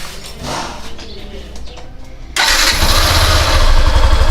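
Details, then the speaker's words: Honda Fan 150 single-cylinder motorcycle, about a year old, after valve rocker (balancinho) adjustment: quiet at first, then fires and settles into a steady, even idle with no top-end tapping; the engine noise is gone. "Pelo amor de Deus, sumiu o barulho."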